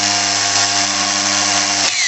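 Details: Starter motor bench-run after it stayed engaged and spun with the engine: steady high electric whine falling in a spin-down, bendix oscillating with play; worn sliding ring on bendix shaft where fork engages, other parts fine.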